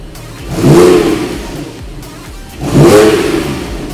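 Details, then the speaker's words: Porsche 911 with stock center muffler reinstalled, Sharkwerks center bypass removed, side mufflers repaired; two sharp revs climb and fall back cleanly to steady idle, deep even exhaust note, nothing rattling; still sounds like a classic 911, only lower volume. "it still sounds like a 911. It sounds like that classic 911 look. It's just turned the volume down."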